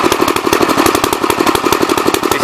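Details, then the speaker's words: Gravely 64L single-cylinder tractor runs fast and uneven with a ragged, stumbling beat and some black smoke; runs rich because the main jet adjustment is stuck in the packing nut, and swapping the main jet may fix it. "If I switch the main jet off another carburetor, I could probably get it to run a lot better. It's sitting here blowing black smoke now a little bit."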